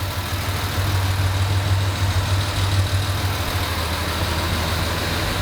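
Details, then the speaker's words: Jaguar E-Type during a service: smooth, settled idle with a soft even beat and no chain rattle or tapping; ticking over nicely, running sweet and much quieter than before. "I say the engine's just you know it's just running as sweet as a nut now it's really um it's got a really nice just TI over nicely much much quieter than it"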